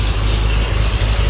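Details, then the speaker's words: 1936 Chevy pickup, open exhaust with no exhaust system yet; low, uneven loping, stumbling idle with no steady rhythm, rough idle, owner doesn't know why. "but you can hear it runs kind of idle's kind of rough i don't know why but uh"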